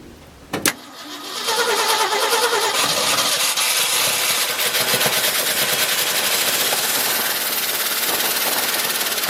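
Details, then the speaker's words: 1971 Ford F-250 at idle: a fast, steady tick of about three per second toward the front of the engine. It is not an exhaust leak, and removing the alternator/water-pump belt made no difference. Suspected, and later thought likely, a stuck valve lifter. "well I'm not all together sure what the noise is doesn't appear to be an exhaust Loop like I said before I've disconnected the belt for the alternator and the water pump fired it up didn't make any difference so sounds like it's toward the front of the engine could be a lifter valve or someth"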